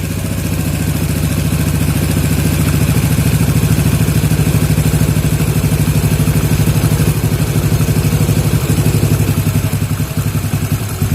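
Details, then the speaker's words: Yamaha Jupiter MX 135 carburetor setting, idle raised from standard 1300 to about 1600–1700 rpm, air screw turned in until the engine nearly dies: uneven lumpy single-cylinder idle with heavy low thump sagging toward stall. "Kita masukkan dulu ke dalam dia, atau kita kunci sampai mesin hampir mati ya."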